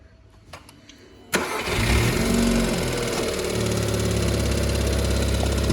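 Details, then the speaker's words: Seat Ibiza Bocanegra 7-speed dry DSG: starts, then fast uneven metallic rattle at idle in neutral from the gearbox side, not the timing chain; stops once drive is selected; worn DSG clutch, replaced. "So this is the noise what's coming from the engine bay, but it's not coming from the timing chain side, it's coming from the gearbox side. As soon as we will select drive, the rattle will stop."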